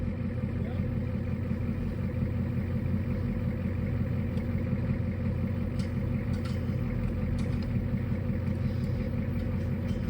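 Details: 1980s Ford F250 diesel field find, just revived by pull-starting: low, steady diesel clatter at an even idle with no stumbling or hunting; normal idle after the start.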